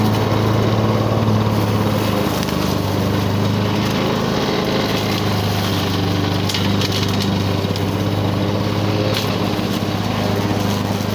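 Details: 1985 Lawn Boy 7350 two-stroke mower, revived after years outside, cutting thick weeds; steady, even drone with slight burble, holding speed well; owner says good running but running a little lower RPM than he thinks it should.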